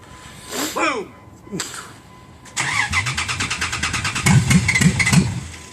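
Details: Dodge Ram, cold start: starter turns in steady pulses about three per second for three seconds without firing; hard cold start, cause unknown; prolonged cranking, no start.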